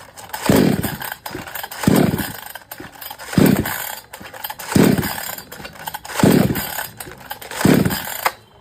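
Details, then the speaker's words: Kisan Kraft / R Yantra 58cc two-stroke chainsaw, after fitting a new spark plug: still surges in short bursts about every 1.5 s and sags instead of holding revs under throttle; problem not solved. Dust-clogged carburettor restricting fuel now suspected, to be washed. "Machine में new spar plug लगाने के बाद भी machine का problem solve नहीं हुआ है"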